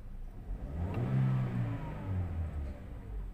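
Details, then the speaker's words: 2017 Toyota Vios 1NR engine, after replacing the cylinder 3 ignition coil, accelerating while checked on a scanner: revs climb cleanly and evenly with no stumble or hesitation; smooth acceleration, first-gear jerking gone. "Okay na ang acceleration niya basahan natin ng scanner obserbahan natin ang ilang acceleration ilang minuto"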